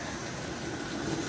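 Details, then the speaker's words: AF 300 Christmas engine with DC fields and digital reverse on rubber roadbed, throttled up to about 50 mph per transformer: soft, even rolling hiss from wheels, no grinding or chatter; owner says it never ran so smooth; normal running. "But boy, this engine on these tracks never ran so smooth. I don't know. The rubber road has to be doing something."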